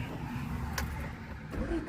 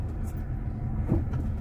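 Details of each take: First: 1978 Honda Civic, cold and not started for a while, stalled just after starting: brief crank after a few pedal pumps, then it catches and revs unevenly before settling; needed to warm up. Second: 1978 Honda Civic, driving without hard acceleration, choke closed for a while: a deep, smooth engine drone with even pulses and no knocks or rattles. It runs and drives nicely.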